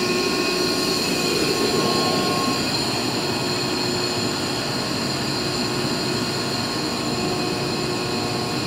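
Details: Used 2005 Boge 40 HP variable-speed-drive compressor, 480 V, 79,131 run hours, 1,909 loaded hours, at max rpm building pressure, about 68–70 dBA: loud constant rushing run with steady high tones, no knocks or surges; normal full-speed operation.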